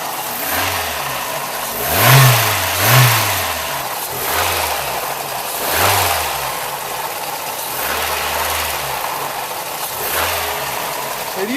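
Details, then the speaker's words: 1985 Toyota 22RE petrol engine, 2WD, with single-row timing chain: throttle blips, light plasticky rattle as revs fall, the chain slapping a broken driver's-side plastic timing guide; sounds like loose valves to the untrained ear. "You're looking for kind of a plasticky, rattly sound, which would be the chain slapping that timing guide around on the driver's side."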